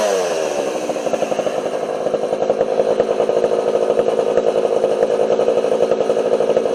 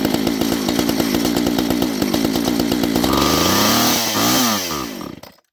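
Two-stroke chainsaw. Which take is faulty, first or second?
second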